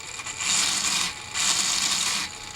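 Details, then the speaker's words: RC crawler built from an Element Gatekeeper kit under a Traxxas Defender body: two bursts of high, gritty metallic whirring from top-end gear mesh, metal to metal. "All that sound is there is you're hearing the gear mesh. You're hearing the gear mesh in the top end, metal to metal. You're not hearing the bottom end at all."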